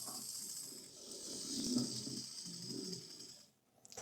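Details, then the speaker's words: Hornby R2558 County Class OO model locomotive after gear repair, running on power: thin high motor whirr with scratchy uneven rumble, cutting out then picking up; no slow pull-away, better in reverse, blamed on a poor motor; poor slow-speed running. "Yeah, just it's got no slow pull away at all. It's better in reverse."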